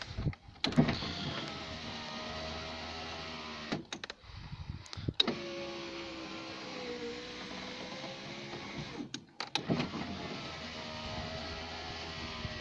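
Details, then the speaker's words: Citroen BX electric window after the slow-winding fix of greasing the window runners: even motor whir over several seconds per stroke, repeated up and down with clean stops, no strain or squeal; normal power window operation. "it's amazing what a bit of lubrication can do"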